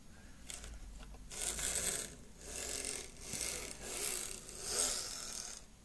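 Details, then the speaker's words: Lima Class 55 Deltic model loco running on DC before teardown and cleaning: thin high motor whir surges and drops out in uneven bursts, loco jerking and stalling at track end; poor electrical pickup suspected. "Yeah, okay, so I think we've got a bit of a pickup issue. It sounds like all the others."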